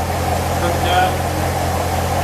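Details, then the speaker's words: Corvette C7 V8 at full operating temperature after water pump replacement, coolant reservoir level good, no leaks: smooth, steady low rumble with even beat, no ticks, knocks or squeals; normal healthy idle. "No leaks, which is always a positive thing after you mess with the water pump. Everything sounds good. I think we're done."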